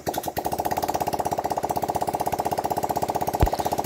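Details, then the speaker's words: Honda Vario 125 fuel-injected scooter, after refitting the suspected loose or corroded spark plug cap on the new plug: quick, even putter of about fourteen beats a second with no stumbles. Normal idle. "sekarang sudah bisa hidup."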